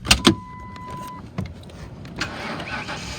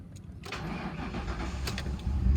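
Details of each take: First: 2008 Ford Crown Victoria Police Interceptor, 120,000 miles, 4,300 hours, running on gas poured into the intake due to a suspected bad fuel pump: low even idle rumble with no knock or miss, a few bumps and one loud clunk; motor sounds good. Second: 2008 Ford Crown Victoria Police Interceptor, 120,000 miles, 4,300 hours, suspected bad fuel pump, running on gas poured into the intake: cranks, catches, unsteady idle, then stalls (AC compressor kicking in possibly contributed).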